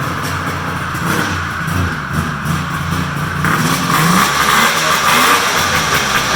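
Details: Polaris big triple muscle snowmobile, cold start after sitting in the shop, run on a stand with hood closed; rough cold idle, then revs climb cleanly with a crisp rising note, no misfire or knock. Healthy engine.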